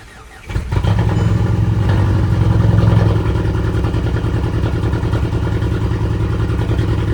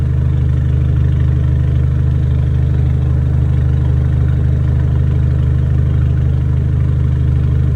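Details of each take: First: Rebuilt 2010 VW GTI engine, first start: fires first try, then lumpy uneven low idle with stumbling beat; misfire because a cylinder injector was unplugged, also oil leaking from turbo banjo bolt; ran much better once plugged in. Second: 2010 VW GTI two-door after timing chain tensioner failure, rebuild and water pump repair. Misfire was blamed on very old gas, cleared by fresh fuel. Smooth, even low idle with a steady throb, no stumbles. Normal idle.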